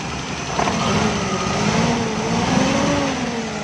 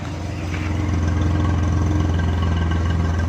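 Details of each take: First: Suzuki Bolan/Ravi at idle, missing; uneven stumbling idle with one cylinder dropping out, misfire from a plug shorted by water in its well. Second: Suzuki Bolan/Ravi engine after spark plug refitted and wiring fixed for a shorting misfire problem: steady low idle with even pulse, no stumbles or skipped beats; normal idle on all cylinders.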